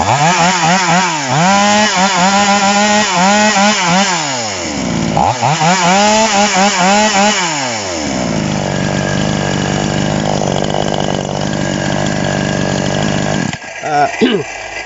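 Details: TOMITSU 5800-body two-stroke chainsaw, rim-drive (ring) version, just after initial carburetor adjustment with a screwdriver: crisp blips to high revs falling cleanly back to a smooth, steady idle; carburetor set right, healthy.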